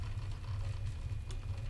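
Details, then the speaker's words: Prusa i3 MK3 3D printer, otherwise very quiet in normal mode: low, uneven buzzing rattle from a loose power supply. "This is just normal. Pretty much all I can hear is rattle at this point."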